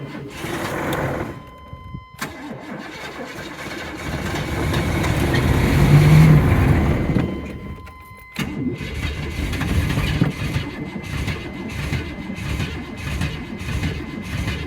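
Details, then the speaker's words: 1996 vehicle with a Vortec engine and 4L60 transmission, abused by its previous owner. It cranks and catches, then runs rough and loping with knocking and popping. A cylinder is suspected to be dead, possibly without fuel; not confirmed. "Sounds like he's got a cylinder down. Like no gas in it, either. It is freaking knocking. Lots of popping and [ __ ]"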